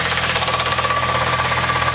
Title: VW MK3 VR6 tranny noise (bad bearing)